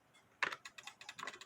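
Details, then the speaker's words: Mid-to-late-1800s drop dial case clock, believed made by Meyer, with wooden plates and a double fusee time-and-strike movement, crutch off: rapid, light clicks about eight a second with no even tick-tock. The escapement is running too fast without the crutch. "crutch assembly is ticking way too fast like that"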